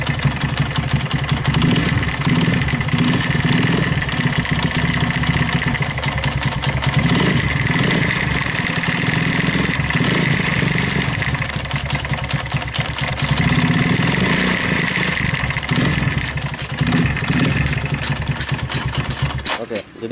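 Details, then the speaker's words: Viar motorcycle started after about five months unused: rough clattering knock louder with each throttle blip, as if something loose or broken inside. "Eh begitu dihidupkan tiba-tiba bunyinya seperti itu ketika kita naik gas khotob seolah-olah ada yang lepas atau ada kelakar yang pecah bagian di dalam"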